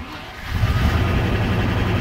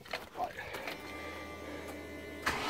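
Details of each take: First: Late-1993/Jan-1994 Range Rover Classic Vogue V8, after reattaching earth strap and removing steering column controls: fires after brief crank, settles into steady deep idle; earth fault thought to be the cause. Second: Late-1993/Jan-1994 Range Rover Classic Vogue with LPG, after breakdown: steady crank about three beats a second for ten seconds, never fires; fuel supply to be checked next.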